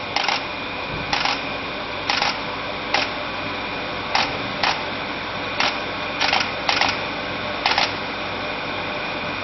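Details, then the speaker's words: Pro Cut 9.0 on-car brake lathe in calibration mode aligning to the hub before cutting EBC Turbo Groove discs: sharp single clicks about once a second over a steady motor hum; clicking stops when calibration finishes, runout under 1/1000 inch. "We can see there, the machine stopped calibrating by the clicking noise disappearing."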